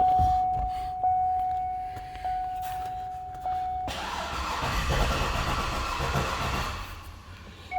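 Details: Cadillac Escalade, believed 2010, with a replaced engine that will not start, alarm and aftermarket key fitted: door chime repeats, then a few seconds of cranking without firing; weak battery and loose battery cables found.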